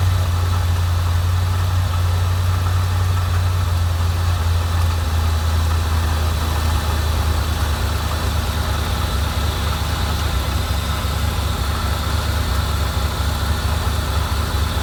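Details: 1987 Corvette after clearing a flood, with fuel getting into the oil: deep, low, uneven loping idle; it dies and floods again when the throttle is released, owner suspects fuel seeping past the piston rings.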